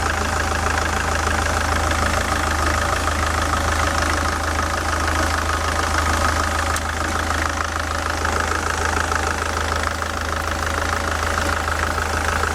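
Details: SsangYong Kyron D20DT diesel at idle, with the belt tensioner roller off-center and the belt edge chewed: a fast, light knocking of about three per second, a loud knock from the tensioner and spring heard through a stethoscope.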